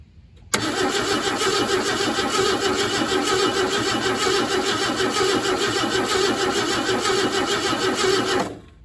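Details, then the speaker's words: 1968 Ford F100, unrun 21 years, crusty carburetor, brake cleaner sprayed into carb: starter churns steadily about eight seconds but never fires; no spark suspected, possibly bad coil. "So I'm gonna have to see what's going on here. I feel like we're probably not getting any fire."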